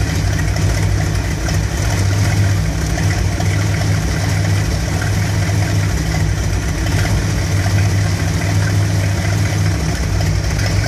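Deep V8 idle that lopes and shakes unevenly instead of purring smoothly; a warm rough idle whose cause isn't pinned down yet.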